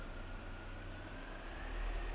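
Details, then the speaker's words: Peugeot 307 after clutch repair and transmission reassembly, test run in first gear: quiet, even low hum with a slight rise as it pulls, no whine or grinding. Normal, noise-free gearbox. "a gente vai botar o carro em funcionamento para ver como ele se comporta em glasgow leves ela não tem nenhum tipo de ruído"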